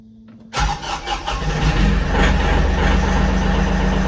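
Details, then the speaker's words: Kioti NX5510 diesel tractor with a P0341 crankshaft sensor code and check engine light. It cranks, catches and idles up to about 1200 rpm with the brake off. Limp mode limits it to 2200 rpm max. "Hear that change? Got a check engine light. I'll take the brake off. See how it idles up."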